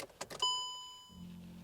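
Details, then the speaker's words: Seat Ibiza with AFS headlights after repair, ignition on for the first time: quick clicky ring then a soft steady motor hum as both headlight levelling motors sweep; normal operation, though a bulb fault remains. "Yeah, both headlights are moving now. You can probably hear the noise, so that was good."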